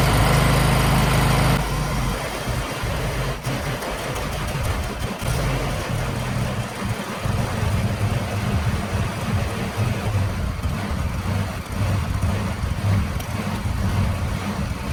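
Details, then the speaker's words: A John Deere ride-on mower with a Briggs & Stratton 21 hp engine, recently revived after not running, idles before an oil change with a low steady thrum that rises and falls slightly. The engine surges a little; the owner plans to look into it. "as you can hear the thing surges a little bit I'm going to look into that after I change the oil"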